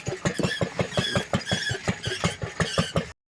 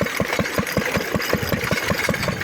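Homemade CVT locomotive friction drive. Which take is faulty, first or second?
first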